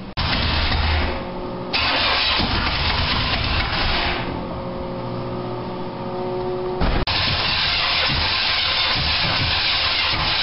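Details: 1987 Toyota Supra MKIII with swapped 350 Chevrolet Vortec V8 and 700R4, after rebuild with firing order and timing set: engine catches and settles into a steady, even idle, no misses or knocks; normal start and idle.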